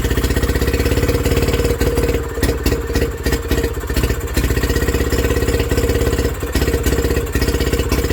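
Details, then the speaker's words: Villiers WX11 single-cylinder engine after its first start following carburetor work, burning off raw fuel pumped into the crankcase by long cranking: the thump rises and sags every second or two. The idle is hunting and needs mixture adjustment on top. "and that hunting don't like it. So I think we've got to adjust that on the top until that runs like this with that straight up."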